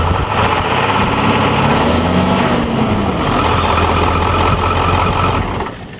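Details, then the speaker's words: Ford F-350 Super Duty 7.3L Powerstroke diesel with dual alternators, heavy-duty tensioner, 136-inch serpentine belt, overdrive upper pulley and a changed lower alternator pulley: steady low idle clatter with no belt squeal or chirp; belt drive quiet. "finally doesn't squeak all right I just changed the lower pulley"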